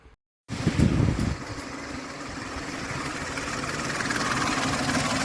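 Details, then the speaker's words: Ford Explorer 4.0L SOHC V6 warm idle after about 15 minutes: light rattling, diesel-like clatter from the timing chain, absent on cold start, no misfire; replacing the tensioner did not help. "लेकिन जैसे 15 minute होते हैं engine warmer होता है तो एक अजीब तरह की साउंड आणि शुरू हो जाती है जैसे टाइमिंग की कैसे टूट गई हो इसकी या फिर कोई डीजल इंजन चल रहा है"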